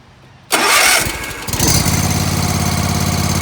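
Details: Zero-turn ride-on mower that wouldn't start; after a quick whack to the starter to free the solenoid, the starter cranks briefly, then the single-cylinder engine catches and settles into a steady, even run with no misses.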